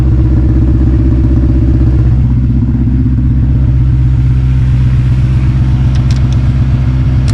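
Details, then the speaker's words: 2006 Honda S2000 AP2, 6-speed manual, after a cold start that misfired: warmed-up engine holds a steady even idle with no stumble or skip; the misfire clears once warm. "But once it warms up, no more. See? Beautiful."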